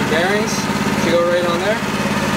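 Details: New Harbor Freight Predator 212 single-cylinder fitted to a 1960s go kart, on first run with fresh oil while warming up for break-in: smooth, even putter with no knocks or misses; normal idle.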